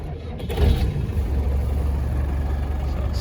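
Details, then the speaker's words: 1993 Land Rover Defender 90 200Tdi diesel, cold start after the glow heaters: a brief crank, then it catches at once and settles into an even, low clatter. A tiny smoke plume on startup, no smoke at idle and no blow-by; a normal cold start. "there's a tiny plume of smoke on startup which is normal but in idle there's no smoke running great"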